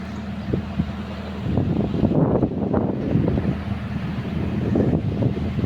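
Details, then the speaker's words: Hitachi excavator with 4HK1 diesel, after rebuilding injectors damaged by a very dirty fuel tank that caused misfiring, hard starting and low power: steady diesel rumble with no missing beats, no smoke, running smoothly as before. "m y Ang ganda ng andar walang usok bumalik sa dati rebuild natin injector niyan low power hard starting"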